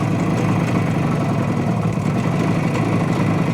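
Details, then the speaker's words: 1970 Suzuki T350 Rebel two-stroke twin, long stored: steady, low, rough drone with no change in beat; no change on left cylinder when choked or plug cap pulled, left barely warm, right hot; firing on one cylinder, plug suspected. "so I don't know if you guys heard that there's no change on the left cylinder if I choke it fully or if I pull the um spark plug uh cap off"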